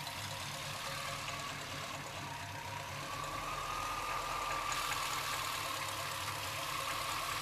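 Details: Chevrolet C-1500 Scottsdale with 350 TBI V8 at idle: uneven loping beat with hiss on top, idle speed wandering and sometimes dropping so low it stalls; rough idle, cause not found.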